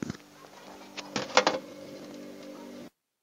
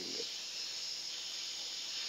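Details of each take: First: Polytron refrigerator after clearing a blockage and adjusting the refrigerant charge without a vacuum pump, now confirmed cold inside: a steady low hum with even tones, a few clicks and a brief dropout, no rattles or gurgling. Running normally. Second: Polytron refrigerator that still has freon but won't cool, compressor humming harder, line opened to test: a steady, high, sharp hiss of gas escaping with no low sound behind it. Refrigerant trapped by a blockage.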